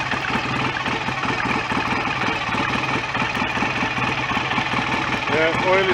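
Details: BSA A65 parallel twin after engine rebuild (worn bottom end repaired, cylinder head refitted), ignition timing just advanced by moving the stator plate: steady, even idle with no knocking or rattling; oil circulating, no smoke, mechanically sound.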